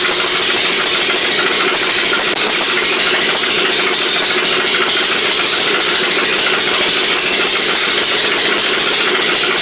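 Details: 1991 Noma-built Eagle Star rider whose knocking 12 hp Briggs was swapped for an old 11 hp engine, after it had seemed flooded: small single-cylinder engine running fast and steady with an even, crisp exhaust beat, no knock or miss.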